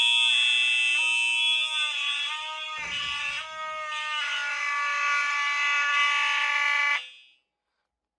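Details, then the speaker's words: Simplex and System Sensor fire alarm test: a harsh, steady electronic horn drones, then wavers and sags before cutting off, sounding weak; suspected to be from too many devices on the circuit, not confirmed. "My horn sounds like it's freaking dying."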